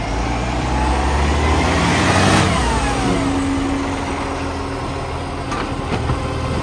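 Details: Salisbury FOGO 3520 diesel running with a quick, regular puffing tick about four times a second over the engine note: exhaust leak.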